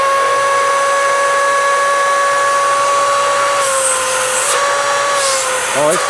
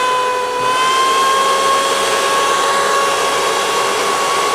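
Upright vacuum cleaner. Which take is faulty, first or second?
second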